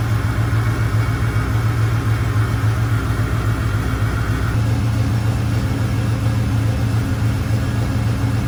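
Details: Camaro rebuilt 6.0 V8, first run after rebuild: even, slightly lumpy idle with steady low rumble, 60 psi oil pressure, smoke burning off, no knocks or ticks; healthy and smooth.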